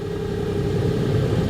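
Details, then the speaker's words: 2006 Nissan Frontier 4.0 V6, blower previously working only on high, after resistor-circuit diagnosis and repair: soft steady fan hum on speed one over engine idle; blower now working on all speeds. "see that you hear that number one number two three number four nice it's working"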